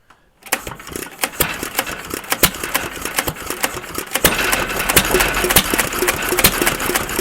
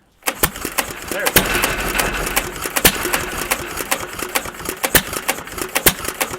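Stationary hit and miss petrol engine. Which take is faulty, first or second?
first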